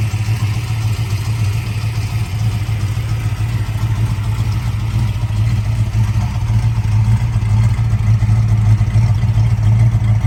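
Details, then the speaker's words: 1966 Shelby GT350, 4-speed, original 289 HiPo rebuilt to 331 stroker with forged pistons and crank, solid lifters; fires right up without throttle, not fully cold, deep steady V8 rumble with no misses or knocks, responsive throttle; running normally. "so it runs great start it up fires right up I didn't even have to give it gas"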